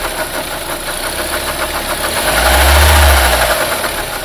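Engine running with a steady, dull knock tapping through it, swelling briefly as it picks up; knock present, source not pinned down.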